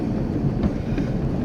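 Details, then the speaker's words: High rail vehicle on a 4-degree curve near MP 109, under 10 mph, outside rail 5 inches higher, before tie restoration: slow rolling rumble with two sharp bangs as wheels hit loose, worn rail joints on deteriorated track. "it's good the video i'm sorry the audio will pick up the noise and that's good that they can hear the banging i think"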